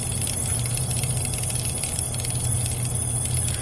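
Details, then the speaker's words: Replacement mini DC rotary refrigerator compressor running propane, after shutoff: steady low buzzing rattle with faint hiss as gas leaks back through it; owner suspects wear or low oil (about 50 ml capacity), unconfirmed. "it's definitely leaking through it and over the course of the next few minutes it'll make some funny noises"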